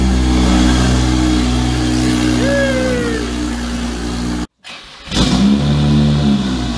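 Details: Single-turbo BMW 335i first start after three months stored in Canadian winter: clean rev with steady low drone and faint turbo whistle, settling evenly; started without trouble after brief initial roughness.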